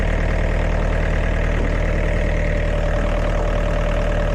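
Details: Diesel air compressor engine after repair of a burnt 50A fuse that had been shorting, running with steady even chugging, regular firing pulses and no knocks or misses; normal running.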